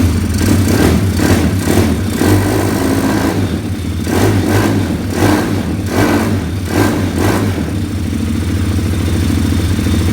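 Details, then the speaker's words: 2020 Orion RXB 150 pit bike, bought used: uneven, lumpy running rising and falling every half second, won't hold steady; owner suspects the unjetted carburetor, smoke blamed on oil overfilled to the brim. "It doesn't run very good because this engine does not run very well because the carburetor is not jetted at all."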